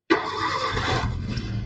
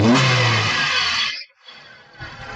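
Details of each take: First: 2013 Maruti Suzuki Swift VXi petrol with check engine light on, poor pickup and a cylinder 2 misfire; the engine catches and settles into a rough, uneven idle with one cylinder dead from a failed ignition coil. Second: 2013 Maruti Suzuki Swift VXi petrol after replacing both ignition coils, one of which was faulty and caused hunting and a cylinder-2 misfire: engine revs briefly and evenly then drops back quietly, no stumble or hunting.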